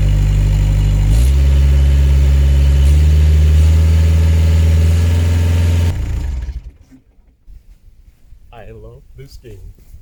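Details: Bobcat S130 skid steer diesel after replacing an extremely dirty air filter containing concrete and rust: steady, even rumble with a low firm note, no misses or knocks, then shuts down; runs clean.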